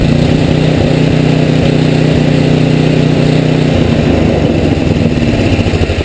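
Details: Tecumseh HM80 single-cylinder engine, relatively warm, choke off, after carburetor idle-needle adjustment: holds a steady, even idle beat, then eases off smoothly; needle one full turn out was right, mixture correct, engine healthy.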